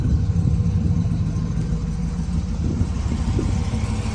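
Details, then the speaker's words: Turbo 6.0-litre truck with stainless headers, first fire on a 3-bar speed-density tune: a low, fairly steady idle pulse around 12.7–13 air-fuel with no stumbling or rattles; idles fine, possible minor exhaust leak or header tinniness. "Sounds good up here. I don't know if I got a little bit of leaks or if that's the tinniness that you get from headers."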